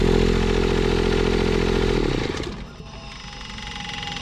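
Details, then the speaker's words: Toro Groundsmaster 223D diesel mower revived after decades abandoned, valves not yet adjusted: chugs evenly for about two seconds at a steady beat, then drops away; started right up and runs well. "the thing runs pretty good. Started right up."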